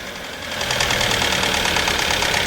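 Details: Hyundai Santa Fe petrol with very thick sludged oil not reaching the top end, revved then settling to idle: loud fast metallic clatter high up; another mechanic blamed pistons, clatter points to a rattling timing chain.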